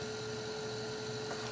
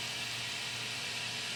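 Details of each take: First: Asus Essentio CM6850 Core i7 desktop with the case off and an old temporary ATI Radeon card at about 97–100°: a steady, even whoosh and mid-pitched hum, no ticking or rattle, mostly the graphics card fan running normally. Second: PC with an old ATI Radeon graphics card, at about 97°C: a steady airy fan whoosh with a faint hum and high tone. Much of the sound comes from the graphics card fan, alongside the CPU, case and power supply fans.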